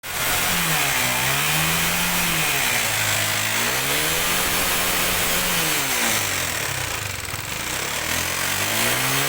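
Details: Honda CBR (LED) motorcycle that smokes heavily, revved up and down: a rough metallic clatter from the cylinder head. The engine is to be removed for repair.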